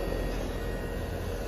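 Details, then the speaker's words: 2009 Trane condenser, previously not cooling with a non-functional compressor, started after a new boost cap and contactor were fitted and connections tightened: constant low hum and fan rush, no rattles, squeals or cycling; running normally. "i'm gonna go start it up that's a beautiful thing guys you could even hear it nice"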